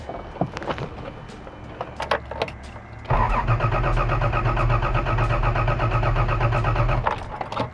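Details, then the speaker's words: 1982 Toyota Celica Supra with original head, aftermarket headers, new timing belt of unknown accuracy, spark uncertain, being turned over: starter catches and the engine spins evenly at about four compression pulses a second with no clatter; healthy cranking. "sounds pretty damn good"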